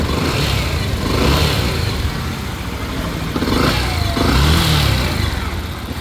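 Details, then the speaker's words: Yamaha FZ-S motorcycle after replacing the part causing its abnormal noise: runs and revs cleanly with an even exhaust beat, no knocking or rattling; the noise is gone. "इसका sound जो है कि change हो चुका है। Bike वही है, sound जो बाइक का ठीक हो गया है।"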